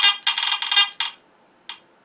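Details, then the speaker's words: Garrett AT Gold metal detector at sensitivity four notches down, no target: erratic raspy bursts then random pops when shaken; chatter with false signals, cause not yet found, before teardown. "that's quite down way from the synth I'm down like four notches down and it's still pop a little bit if I shake it now"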